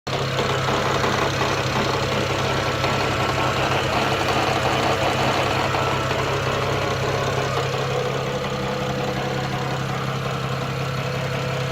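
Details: BMW N54 engine at idle: steady idle with a light, somewhat uneven tapping on top; abnormal engine noise, cause unclear.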